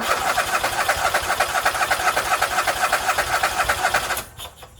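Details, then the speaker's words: Husqvarna YTH24K48 lawn tractor that cranks and cranks but won't fire: steady starter cranking at about four strokes a second with no catch; owner suspects fuel delivery. "but today uh we are in the shop looking at a no start situation and by that i mean it cranks and cranks but it doesn't fire so let's dive in and see what's going on"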